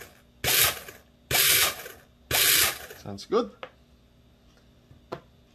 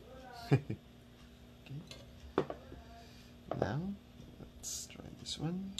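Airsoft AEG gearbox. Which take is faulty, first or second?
second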